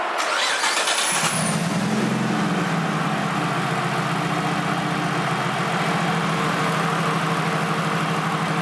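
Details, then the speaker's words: Bigger-turbo car after boost-controller test spiking to about 15 psi: lumpy idle dropping a pulse, no change when coil two unplugged; coil two dead (coil swapped from cylinder three to two), ignition misfire from failed coil. "guys hear the misfire watch listen it makes no change when we unplug coil to all right shut up [Music] so basically what that means is coil to the it died"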